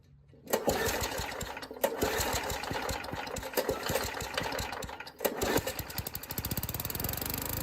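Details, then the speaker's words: Old Murray push mower, 3.5 hp Tecumseh engine (about 1989–99), after needle-seat tapping: catches at about half throttle and runs ragged with surging dips and stumbles; owner fears the carburetor needs a rebuild. "I'm afraid have to rebuild this carburetor uh but what I'm afraid about more than anything is finding gaskets"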